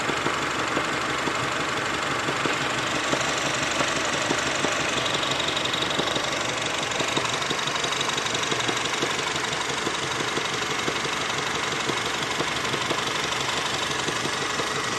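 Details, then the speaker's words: Honda Civic petrol engine idling with a faint, steady knock about three times a second; owner suspects a broken motor mount due to heavy vibration in the plastics; cause not confirmed. "Okay, we're doing a video because I hear a slight knocking sound in the engine. Hopefully my mic picks it up."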